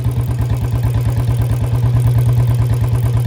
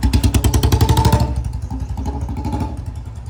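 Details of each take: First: Royal Enfield Bullet 350 in gear, even single-cylinder thump about three beats a second with dry metallic clatter alongside, loudest near chain; unlubricated drive chain noise before lubing. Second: Royal Enfield Bullet 350 after chain lube and brake and clutch lever lubrication: steady single-cylinder thump fading as the bike eases off, no chain whir or clatter; chain now running quietly.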